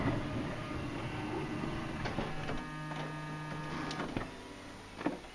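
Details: Honda Odyssey van power sliding door, during latch repair: quiet electric motor whirs steadily a few seconds, then firm clunks as the latch pulls the door shut. Latch working properly.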